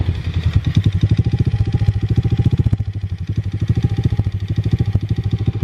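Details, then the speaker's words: Single-cylinder small vehicle idling: pulses rise and fall over a few seconds, idle not dropping and climbing when left to sit, sounding like something sticking; owner suspects gunk in the carburetor and plans to clean it; surging idle. "If you let it sit here for a while and let it idle, the thing will start raising and climbing, and you hear it. It sounds like it's surging right now."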